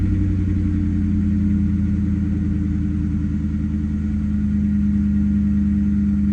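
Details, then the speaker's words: 1996-1998 Mustang GT V8 after a Dragon Fire coil pack and plug wire install: an even, steady rumble with no skipped beats. The previous misfire is gone and throttle response is sharp. "Misfire is gone. I'll clear this check engine light in a minute. Clear this check engine light. The car is running extremely freaking smooth right now."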